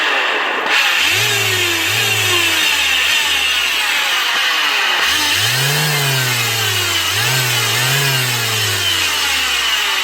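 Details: Bosch GEX150AC 6-inch orbital sander: harsh, loud whirring with speed surging up and down, from worn, slack motor bearings; the switch also looks faulty and the brushes are worn low.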